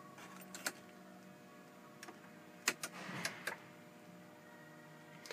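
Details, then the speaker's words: 1997-2004 Ford F150 4x4, engine off: switching into 4x4 gives sharp relay clicks from the dash GEM module and a brief soft whir of the transfer case shift motor underneath, normal engagement. "we had the clicking in the dash here and then underneath the vehicle you can hear uh the shift motor moving"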